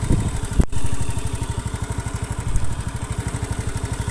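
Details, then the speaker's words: Honda Beat FI (K44/K81), hot engine, weak on hills, top speed ~90 km/h, compression somewhat low: harsh rapid clatter in step with firing over steady idle, louder as it heats; likely piston problem, not valve clearance. "ini bisa di dengarkan ya suaranya itu kasar sekali jelas ketika masir panas nah ini masalahnya di bagian pistonnya biasanya"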